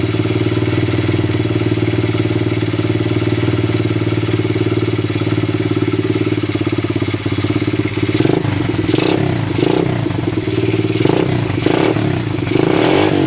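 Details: Honda XL70 fitted with a Chinese 125cc pit bike engine, ridden about 10 miles the day before, cold start on choke: steady, even single-cylinder idle with a few throttle blips near the end; normal cold idle on choke.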